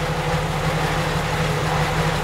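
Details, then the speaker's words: Jeep Wrangler at idle in a garage: steady low rumble with a buzzy rattle on top, louder under load. Exhaust rattle; bad muffler suspected, not confirmed. "the exhaust it's got a terrible rattle i think the muffler is bad so you guys can hear that exhaust rattle now you really can hear it under load there"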